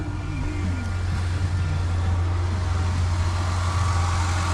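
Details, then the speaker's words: Tribute/Escape that sat 2-3 years, first cold start after new cylinder 4-6 plugs and coils and a front valve cover gasket: a steady but fast idle, higher than it should be; owner suspects carbon buildup and plans to clean the throttle body. "because the news when I started it ironed up a little bit uh more than it should have when it was cold probably because of the best carbon buildup inside there"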